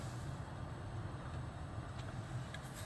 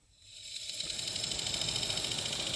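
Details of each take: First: 2013 Toyota Highlander 2WD, 117,000 miles, after an aftermarket blower motor replaced a bad one that clicked in the cabin. Lowest fan speed: quiet steady hum and soft airflow with no clicking. Normal blower operation. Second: 2013 Toyota Highlander 2WD, 117,000 miles, heater/AC blower motor run removed from the dash: rising airy hiss with fast steady ticking; blower motor failing and must be replaced.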